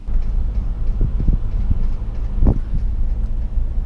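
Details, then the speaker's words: Toyota 4Runner driving, worse between houses; deep road rumble with irregular dull clunks from underneath, sounding like the wheels might fall off. "see it sounds like the wheels going to fall off almost"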